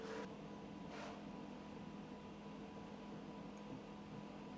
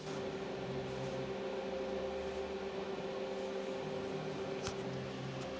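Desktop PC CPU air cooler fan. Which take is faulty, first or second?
second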